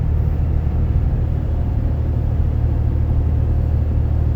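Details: Inside cab of 2012 Dodge Ram 6.7L Cummins, fully deleted, 4-inch turboback exhaust, EGR delete, H&S Mini Max stock tune, leveling to flat highway cruise: steady low road and wind rumble, no drone; exhaust quiet.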